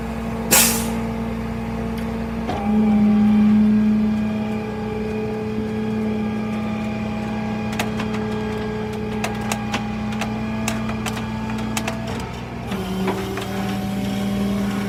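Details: Toyota 4Runner with a bad transmission: a steady low hum-whine holds, then drops in pitch near the end as if shifting, with scattered clicks; transmission noise.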